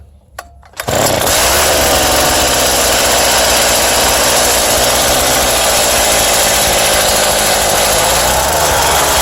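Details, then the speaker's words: Scrapped Craftsman cultivator's two-stroke engine, started with starting fluid, choke and throttle held: after a brief crank it catches and settles into a steady, even high buzz with no misses. The engine runs well, though the drive was found to lock up. "There she goes. Probably a little more choke."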